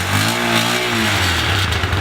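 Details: Stels Delta 200 single-cylinder motorcycle, older-design engine with factory-tuned carburetor, starts easily hot or cold: blips cleanly and holds a steady, even note with no knocks or rattles; engine runs well.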